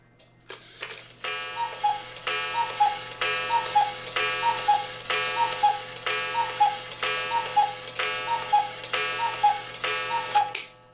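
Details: Cuckoo clock after the loose gong was pulled back and its screw tightened to stop a weird snapping noise: crisp, even ticking about once a second, clean two-note cuckoo calls, no gong buzz; normal running.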